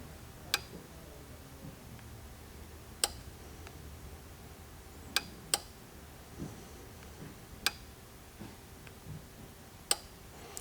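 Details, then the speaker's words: 2004 Chevrolet Trailblazer, crank no-start, fuel pump commanded on via scan tool: sharp fuel pump relay clicks every couple of seconds with no pump hum; pump gets no power, traced to the fuel pump connector. "all right so we have fuel pump relay click but I do not hear the fuel pump whatsoever you guys could probably hear that too"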